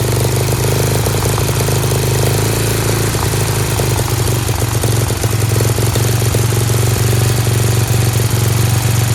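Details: Dayton lawn tractor's 11 hp Briggs single-cylinder, started on its own with choke, putters at a steady slightly high idle with an even deep beat, no knocks; a spring is disconnected; healthy, idling a bit fast.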